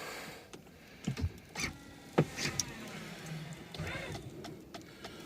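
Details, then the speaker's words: Chrysler Town & Country power rear seat trying to raise its seatback: motor hums and strains between hard clunks while the seat won't move; something is stuck in the mechanism. "see something stuck in it and the other side was just like this and i worked and worked and worked on it i couldn't do anything"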